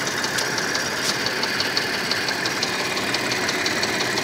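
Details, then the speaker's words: 1996 Audi A4 2.6 V6 petrol engine knock: barely audible at low rpm, a sharp regular ticking at 2000 rpm. The cylinder is not yet identified; the plan is to check by pulling plug wires one by one. "при малых оборотах стука практически не слышно набираем обороты 2000 оборотов ток слышим"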